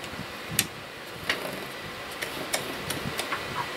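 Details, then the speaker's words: Used 00 gauge model locomotive running on track: faint motor hum with sharp, irregular ticks once or twice a second as the wheel flanges hit the sleepers; loco also has a short. "Yeah, can you hear that? That's the wheel flanges hitting the sleepers."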